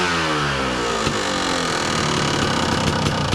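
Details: 2002 Kawasaki KDX 200 two-stroke, recently tuned, about warmed up; crisp rev climbing cleanly from idle and dropping back evenly, no misfire or stumble; healthy throttle blip.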